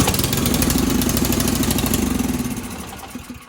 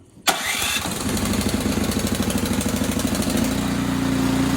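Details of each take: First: Ariens Sno-Tek 24-inch self-propelled snow thrower started after primer presses, choke accidentally left on: fast, uneven single-cylinder putter that sounds like it is choking, loses power and dies within seconds; running over-rich, so take the choke off after starting. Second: Ariens Sno-Tek 24-inch snow thrower, electric-start cold start, choke then turned off: short starter whirr, catches and settles into a steady, even putter that smooths out; healthy start and warm-up idle.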